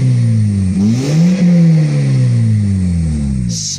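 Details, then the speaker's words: 2005 Scion xB 1.5 Toyota petrol engine after new cylinder 2 coil, new plugs and cleaned mass airflow sensor: revs up and settles smoothly, even steady note, no misfire; squeaky belt and air filter still due. "smooth as smooth can be though it runs great toyota quality i tell you what these 1.5 oh man they're a good engine they're resilient"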